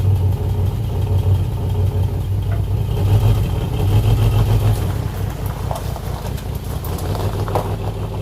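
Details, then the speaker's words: Nissan 300Z idling unevenly with a lumpy, stumbling beat as one cylinder drops out: a dead miss. The owner suspects the injector power wire or failed injectors; wiggling that wire near the ECU made the miss much worse. "As you guys can hear, the 300Z has a dead miss. Like I said, it's either the wire, the power wire to the injectors, or the injectors just kaput."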